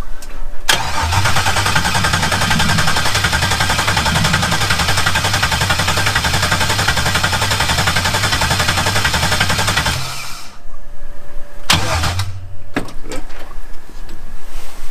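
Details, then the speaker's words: 1988 Camaro IROC-Z with a rebuilt 2005 L59 5.3 LS (std bore), Howard's cam, Holley 750 double pumper carb on a single-plane intake and TH400, at first startup. It runs loud and uneven for about ten seconds, then cuts out, running very lean; they suspect the exhaust pipe is too short for the O2 sensor to read. "okay we had an issue it's really running really lean but I think about the you know our thought process is the pipe on the exhaust is too short for the o2"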